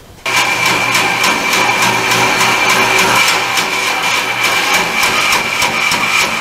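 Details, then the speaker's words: Band saw cutting a blank for a new oak rocker arm: loud whirring cut with a repeating thump about three times a second in step with the blade, caused by a small flattened-out imperfection in the blade that can barely be felt. "that thumping sound here is I've got a I can't displayed at one time I've flattened it out I can't I can see it and I can just barely feel it but even that small imperfection is calling causing that sound"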